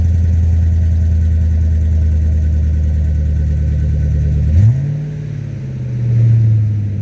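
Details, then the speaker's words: 2009 Ford F350 V8 after fitting a new Flowmaster muffler: deep smooth idle, then a quick throttle blip that rises and settles back cleanly, no rasp, drone or leaks; healthy exhaust. "Well, suffice it to say, I think it sounds way better than it did before."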